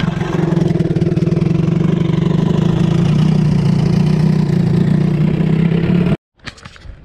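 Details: Johnson 20 hp outboard, choke on, throttle back, after starting trouble and overheating worry: steady even putter about four beats a second for six seconds before shutoff; water pump confirmed working, healthy idle.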